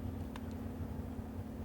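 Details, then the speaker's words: Amplifier under repair, all transistors tested good: steady low mains hum broken by sharp crackling snaps of electrical arcing, bad enough to make a connected computer register plug/unplug events; the tuner is suspected. "It's so bad it's making the computer think something's plugging in and unplugging from it."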